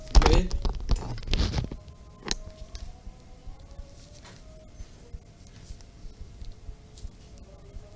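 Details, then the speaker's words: Small loudspeaker tested by touching its leads to a battery, microphone placed close: short burst of scratchy crackles then quiet; crackling means the voice coil is intact and the speaker is normal. "Nah itu ada bunyi kresek-kresek Hai itu berarti masih normal mungkin kurang keras suaranya ya"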